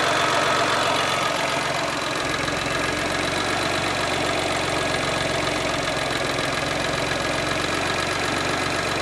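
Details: Geo idling, which bogs and dies when the foot lifts off the gas; uneven idle with loose irregular knocking under the engine note, owner suspects bad motor mounts; rough running, cause not confirmed.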